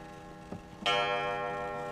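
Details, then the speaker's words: Antique grandmother wall clock, hung on a wall 20 years without chiming, first test before restoration: a single clear bong slowly dies away over faint ticking; the strike train still works, a nice chime, some hope for the mechanism. "now like that nice nice chime this uh there's some hope for that mechanism"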